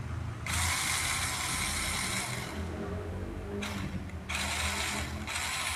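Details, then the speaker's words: RC Rock Crawler with a no forward/reverse fault; after motor replacement, a battery test checks whether the wheels bind or spin freely, and it is judged normal. High, steady motor and gear whir in clean on-off bursts, no grinding. Normal drive run. "kita cek putaran rodanya macet atau nggak kalau macet Berarti dinamonya kurang pas kalau ini sudah normal"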